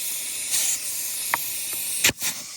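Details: Caravan being worked on for a 5-speed swap: short, sharp bursts of high, airy hiss with no tone underneath, air escaping a tire that may lack a valve core. Cause suspected, not confirmed.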